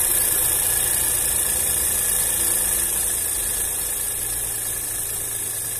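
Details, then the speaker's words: VW up! TSI after a hot-air intake delete, idling smooth and even with no knocks or misses: a steady intake hiss only because the air filter is off. Normal, healthy idle. "pessoal, o trabalho do motor tá legalzinho, ó, sereno, né? Tá esse barulhinho de aspiração aí, ó, mas é porque tá sem o filtro aqui, tá, ó."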